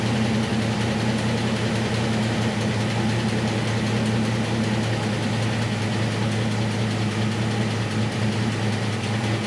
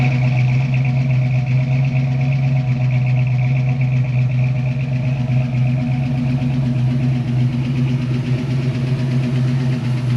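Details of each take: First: 1966 Mustang with factory V8 and 4-speed, on a newly installed Edelbrock 1406 electric-choke carb, cold: a low, steady idle burble that runs fairly evenly with no misfires. It fired more or less on the first try; idle mixture and fast idle are not yet set. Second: 1966 Mustang coupe, factory V8, 4-speed, newly installed Edelbrock 1406 electronic-choke carburetor, idle mixture and fast idle not yet set, cold mornings: steady low idle with slight uneven pulse and faint lope; idle still unadjusted.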